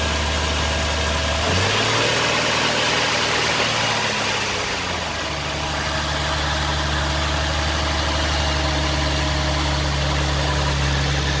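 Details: Nissan 370Z during rebuild, first start after fitting a new battery; catches and settles into a steady even idle, then revs up and holds smoothly with no knocks or misses, normal start, idle and revving.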